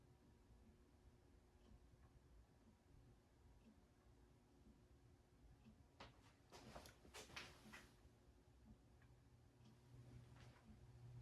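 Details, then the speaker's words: Old Jacksonville Jackson 52-inch ceiling fan with a variable speed control, after its very dry, noisy motor bearings were re-greased. Quiet, even run with a faint steady low hum and no grinding or scraping; normal. "They were horribly dry, but it seems to have quieted it down pretty well. It hums a bit, but that's kind of expected on something that has a variable speed control in it."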